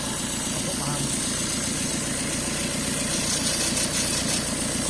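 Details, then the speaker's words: 2017 VW Transporter T6 diesel with engine light, cabin fumes and EGR fault: constant sharp hiss over idle clatter, also heard while driving; exhaust gas leak blowing soot at back of engine. "Okay, so if you listen, you can hear a hissing coming from it, which you can also hear when you're driving."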